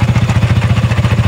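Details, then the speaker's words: Sniper 155 VVA motorcycle at idle, not yet revved: quick, even clatter of about thirteen beats a second over the idle thump from the head. Sounds like a loose bearing; suspected worn cam bearing or rocker arm, possibly from oil starvation. "Ayan maingay siya. So hindi pa natin siya naf rebolusyon maingay na. Meron siyang maingay sa kanyang bandang head. Yan parang bearing na malog at maingay talaga yan."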